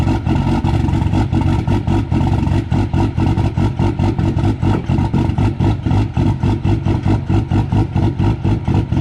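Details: Cummins diesel truck at -6, grid heaters unplugged, not plugged in; uneven lope about four pulses a second, surging and stumbling, with heavy smoke; cold-start lope without grid heaters, which otherwise make it fire right up.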